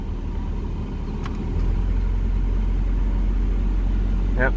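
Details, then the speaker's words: 1996 Mazda Miata warming up at idle: soft clunk as the AC compressor kicks on and the low drone deepens and settles under load, then idle stabilizes; normal compressor clutch engagement. "i don't really know if this is going to be a good demonstration of the ac but oh let's see if you can at least hear the compressor kick on"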